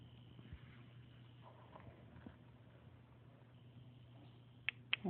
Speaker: on, off. And when it's on, it buzzes.